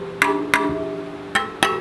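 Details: Rad City e-bike spokes plucked during assembly: five pings, some clearly lower than others. Spoke tension is uneven, so the spokes, including the back wheel, need retightening with a spoke tightener.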